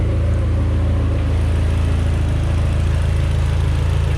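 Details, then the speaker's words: 2014 Mitsubishi Evo X MR after SRT engine swap, just started with powder-coated intake manifold, valve cover and serpentine belt fitted: even low idle rumble, about 3.5 pulses per second, no misses or tapping; one evap code remains, owner plans new NVLD. "Alright guys, I decided to start it up about 2 seconds ago. I still got one trouble code for the evap."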